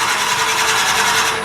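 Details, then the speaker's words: Wood lathe at about 500 rpm, drilling into a tool-handle blank with a bit in the locked tailstock. Steady, even cutting hiss with a constant mid-pitch tone, normal drilling. The whining noise can be killed by waxing the drill bit. "one thing when you're drilling holes you're the whining there's two things we can do here if you bothered by that noise it's really easy just to wax the drill bit kills the noise"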